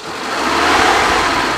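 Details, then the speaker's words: 2004 Suzuki Futura Realvan DRV minibus: the engine starts readily, idles smoothly and revs cleanly with no metallic noise, misfire or knock. The engine is dry with no oil leaks and no white exhaust smoke, so it is in healthy condition. "Suara mesinnya masih halus, nggak ada suara yang aneh istilahnya, nggak ada suara metal, nggak ada suara pincang. Kita coba geber, suaranya juga masih enak."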